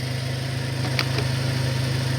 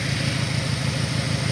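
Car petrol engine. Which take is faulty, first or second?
second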